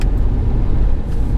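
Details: Low, steady rumble of a car driving slowly through sharp turns after lubricating the front coil springs, which had squeaked and popped even after new spring sleeves; now no squeaks, pops or creaks.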